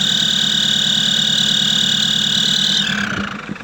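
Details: Nissan Patrol Y61 3.0 diesel at idle: a steady, piercing high whistle rides over the engine, then slides lower and fades as it winds down; the owner cannot locate the source; engine whistle.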